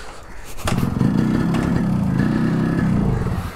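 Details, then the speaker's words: Yamaha RX100 two-stroke started after sitting 10 days, cold, with choke and no throttle: second kick catches, sputters unevenly and misses beats struggling to hold idle; owner says it needs a little throttle when starting. Rough cold start. "देखा यही यही problem है तो तभी आपको थोड़ा सा throttle देना पड़ता है"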